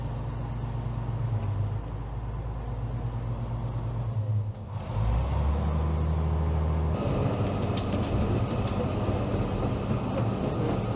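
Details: Late-1970s/early-1980s Caterpillar 235 excavator working to pull out a 1960 Brockway truck: deep, steady diesel rumble with even beat, no knocks, pitch shifting briefly under load; healthy old engine.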